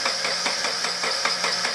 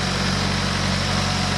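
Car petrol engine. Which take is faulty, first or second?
first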